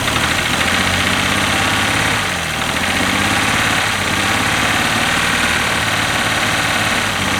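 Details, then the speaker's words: 1967 GMC C20 with 305 big block V6, sat at least 7 years, kept alive on brake cleaner with a bad carburetor; loud, uneven idle with ragged beat and dips, no smoke; runs, but roughly. "there you go it runs it's about out of brake clean too I should by stocking this stuff as much as I use [Applause] it bummer well how about that it runs runs pretty decent actually doesn't sound bad doesn't smoke"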